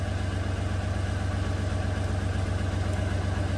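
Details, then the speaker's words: 2008 Toyota RAV4 3.5 V6 with a flashing MIL, low power and codes P0300, P0302 and P0304. It idles with a low uneven lope, stumbling two to three times a second, misfires counting on cylinders 2 and 4; unplugging coil 2 stopped them. "so with it running it's counting misfires on cylinder two and four that's interesting so the one three and five are at zero zero and cylinder two and four is counting like crazy"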